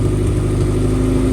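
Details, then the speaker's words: Honda Civic after a six-day swap replacing an engine blown at the track, started and revved: even, steady idle with smooth low hum, no ticking, knocking or stumbling; healthy replacement engine. "And it's idling healthy. Woohoo! Great success."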